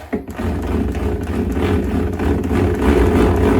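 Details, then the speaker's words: Old drill with a keyed chuck and small masonry pilot bit, switched to hammer mode before drilling a wall; steady coarse fast growling buzz from the chuck moving back and forth, normal hammer action. "you hear that growling noise the vibrating that's the the Chuck going back and forth as we're getting ready to hammer its way into the wall"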